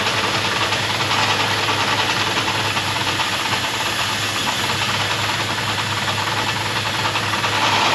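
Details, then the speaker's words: 1972 Chevrolet Blazer on carburetor, just got running: rough idle buried under a loud, constant sucking hiss from a massive vacuum leak. "now when it's running you can hear a massive vacuum leak it sounds terrible"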